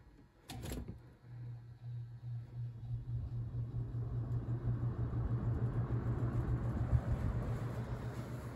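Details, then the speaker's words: Holmes HABF-20 box fan from Feb 1997, McMillan motor with formerly stiff bearings, on low speed: quiet steady hum builds as blades spin up with a soft even throb from a badly unbalanced blade, no scraping; runs fine. "got a pretty good low speed it's quiet moves good air"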